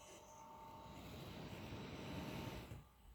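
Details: Asus ROG Zephyrus GX531GS laptop, new out of box: loud rushing fan noise with faint thin coil-whine tones over the airflow early on; excessive laptop fan noise.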